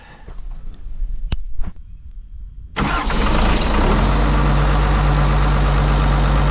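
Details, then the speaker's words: Kobelco 250 excavator diesel, just after a replacement muffler was installed over the failed one: a few clicks, then the engine catches and settles into a steady, even low rumble with no rattle; normal idle. "But it's all in, and I think we should fire it up and see what happens."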